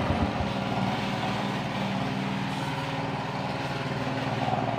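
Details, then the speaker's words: Small motorcycle engine after rebuild from running out of oil (worn rings, loose rod, scored liner), refilled with oil: even idle, rough knock gone, faint steady hum from the new cam chain (KWB replaced with GN5). "Suaranya sudah lumayan ya, lumayan berkurang, suara kasarnya hilang, tapi ada suara dengungan teman-teman. Dan suara dengungan itu tadi itu adalah suara dengungan rantai kamrat ya, rantai keteng."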